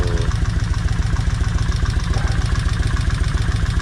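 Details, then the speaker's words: Kawasaki Vulcan 1600 V-twin after repeated runs: steady lumpy idle with light quick tick in time with the engine; one front valve still clicking, less than at first start; oil change still due. "I can still hear this one up here clicking. And it's not as bad as it was the first time this motor was cranked."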